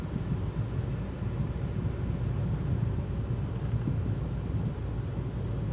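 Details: Hyundai Creta automatic, in-cabin recording at about 65 km/h with AC on; only a soft, steady low road rumble, no whine, hum or knock: normal quiet cabin road noise.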